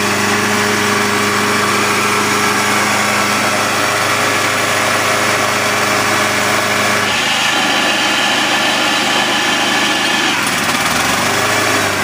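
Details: Honda HR194 PX lawnmower, 1980s Honda HR series, started on choke: a piercing high steady screech over a fast, high idle when the blade is not engaged. Loud squeal; owners suspect the blade clutch.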